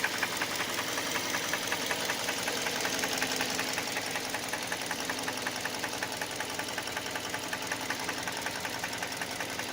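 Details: Hyundai Elantra 1.8 at idle: steady light metallic ticking knock just under two a second over a quiet idle. Knocks cold and warm and gets louder with higher revs; source unknown.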